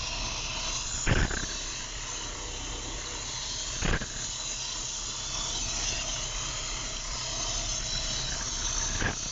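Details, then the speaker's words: Opel Corsa engine after a shop rebuild, first start: hissy steady idle with an occasional uneven stumble every few seconds; rough idle, motor possibly still tight, loud pump, needs assistance to idle. "She has a funny little, like a little stumble."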